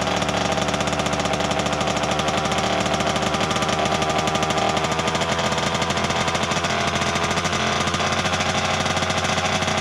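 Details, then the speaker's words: 1988 Kawasaki KX 80 two-stroke, first start in 15 years after a flooding struggle: fast, crisp, even crackle holding a high steady rev with no misses or knocks. "enfin enfin enfin il a démarré cette ruche je n'y croyais plus du tout"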